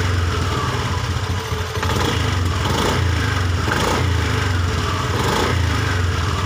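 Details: Honda Beat ESP injected scooter after a part replacement, fault code erase and ECM reset/idle relearn (key off, then on within 10 seconds); it idles steadily and revs cleanly through throttle blips, responsive with no stumbling. Normal revving.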